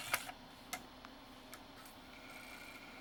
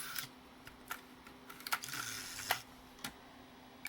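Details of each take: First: NEC-based CD-ROM drive (Intersect CDR-84) with a weak laser, running after lens cleaning and with shields refitted: light irregular clicks and ticks over a quiet hum as the head keeps hunting; servo instability. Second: Old NEC-based CD-ROM drive (Intersect CDR-84) reading a pressed CD: scattered seek clicks, then a steady faint spin whine; normal reading. Problem appears only with CD-Rs, from a threshold laser or low CD-R reflectivity.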